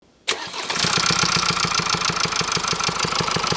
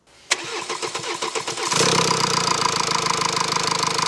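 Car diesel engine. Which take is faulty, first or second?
first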